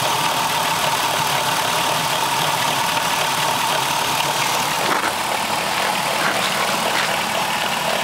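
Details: Dodge Caravan 3.3 idling in park with a thin, steady squeak, audible through the closed hood and while driving, that speeds up with revs; with the belt off, the alternator had play, pointing to a worn bearing.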